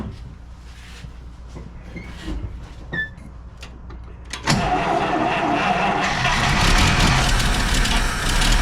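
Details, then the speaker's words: 1949 Buick Roadmaster hearse straight-eight, sat over six years: long slow cranking, then it catches and runs rough only on a shot glass of gas poured into the carburetor. The fuel pump is not drawing fuel from the new tank. "I got bad news for you, Wendell. Yeah. Your fuel pump is not drawing fuel out of that new tank."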